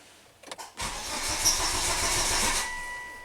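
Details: Volvo wagon cranked with fuel pump module unplugged during scope diagnosis: starter churns steadily about two seconds, never fires; no fuel pressure, no fault codes stored.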